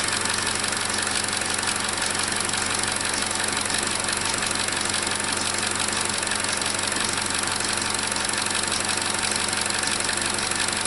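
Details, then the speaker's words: 2017 Chevrolet Trax 1.4L (LUV) with code P0171 lean, just after replacing the faulty vacuum part, at startup and idle; steady, even idle with a constant airy hiss, no misses or knocks; normal idle, sounds better than before. "so to me the engine sounds better on startup already"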